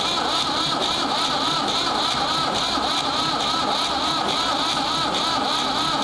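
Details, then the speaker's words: Ford 3600 diesel tractor with a rebuilt CAV injection pump: long steady cranking with an even compression rhythm, only weak attempts to fire and little smoke; owner suspects the pump's high-pressure plunger section is seized. "i think the pump there must be something in that main pump section that generates the high pressure that's froze up or something"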